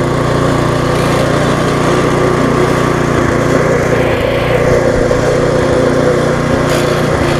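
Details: Viking (Stihl) mulching mower, Briggs engine with refurbished classic carb, just after repair and smoking from being tipped on its side: steady engine run with a light uneven metallic rattle from loose, untightened handlebars.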